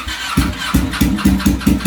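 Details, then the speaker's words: Rebuilt crashed Ducati 899 Panigale, fuel-injected, just started with no muffler: very loud, hard barking pops at a lumpy idle. Loud open exhaust. "oh my that is the loudest thing i have ever heard i did that with the zx4 followers they don't sound good without a buffalo"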